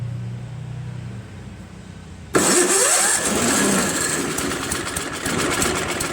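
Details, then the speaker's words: Craftsman push snowblower, after a carb clean and after its seized electric starter ring gear was freed with penetrating oil so the starter engages the flywheel: a quick starter bite, then it fires at once into a fairly even, steady idle after long sitting outdoors. "Pretty good, man. I mean, For this snowblower to be sitting in that guy's yard for all this time, and you know, it starts up and almost idles perfectly, you know what I'm saying?"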